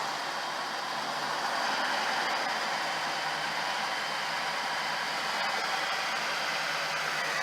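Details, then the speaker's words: Work truck with a 350 V8 said to have under 2,000 miles (odometer 88,423, likely 188,000; granny-gear 4-speed needing repair), first cold start after days sitting: even, steady idle, no knocks, ticks or misses; sounds like a new engine. "Yeah, so this is the old cold start. Sounds pretty good. Sounds like a brand new engine to me."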